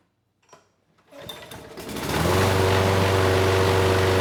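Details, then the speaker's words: Craftsman mower, Briggs Quantum 128T02, after removing a nest and fixing the auto choke vane position: a few sputters, then an even, steady putter; the choke now turns off and it runs well, with only a slight occasional stutter. "thank you that was much better the choke sounds like it is turning off now the engine is running well"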